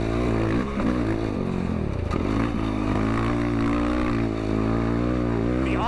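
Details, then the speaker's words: Yamaha ATV single with freshly flashed stock ECU tune, open airbox, FCI intake and full exhaust, running rich: even, steady drone at steady throttle under light load, no misses or pops; normal steady running. "oh man this thing feels pretty good steady throttle right now runs real"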